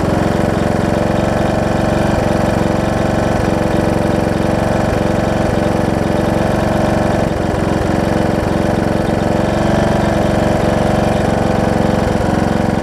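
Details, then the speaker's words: John Deere D110 mower engine test-running after a full rebuild with a new head gasket, done after a detached flywheel magnet was found: even beat at constant speed, only a few faint ticks. Possible valve-cover oil leak, maybe just burn-off. Normal running. "so foreign whoa i said seems to run good oh so good"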